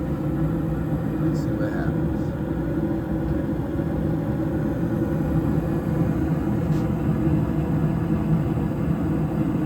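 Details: York furnace blower after a DIY blower motor replacement: a steady, low, even hum with no rattle, thump or wobble. The new motor runs smooth and quiet and the whole unit no longer vibrates.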